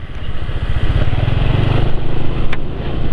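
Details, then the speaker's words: Motorcycle engine at idle after an oil change to Valvoline XLD 20W-50, warmed up: steady low even thumping with no ticks, knocks or rattles, sounding smoother than before, especially at the front; normal idle. "tentu suara sudah lebih halus daripada ketika kemarin sebelum dicampuri minyak goreng Camar dan dianaskan oleh ini sudah lebih halus"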